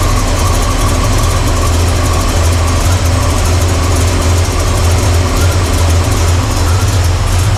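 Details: Carbureted V8 (1968 Pontiac LeMans or Chevy C10) idling during timing adjustment: loud, rough rumble with a faint hissy whistle over it, a massive vacuum leak because the PCV valve popped off; vacuum readings stayed poor.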